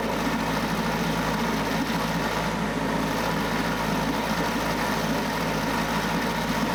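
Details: Mercury 9.8 hp 110 outboard after new water pump impeller and lower unit driveshaft oil seals, pressure test held 10 psi; constant even drone with no surging, knocking or stumbling, running smoothly until fuel tank ran low.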